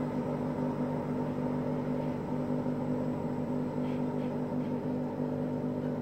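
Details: Hotpoint Aqualtis washing machine during spin: steady heavy rumble with a droning hum, like a car engine, from drum bearings that have just started to fail.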